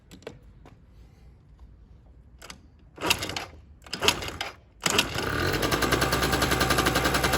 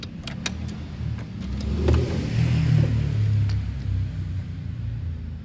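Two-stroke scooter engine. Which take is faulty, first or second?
second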